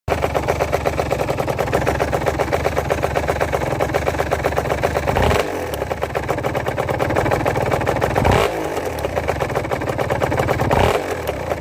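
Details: Aprilia RS 125 two-stroke idling with a fast regular metallic knock that persists through throttle blips; small end and big end bearings already checked, cause unknown.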